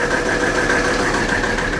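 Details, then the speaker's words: 1984 Mercedes-Benz 300D turbo diesel, previously seized, first run after bleeding injector lines: loud, harsh clatter at idle with uneven shaking beat and ringing rattle; rough idle, cause unknown, won't shut off with key. "She's loud though. I don't know if the camera picks up how much this thing's shaking right now."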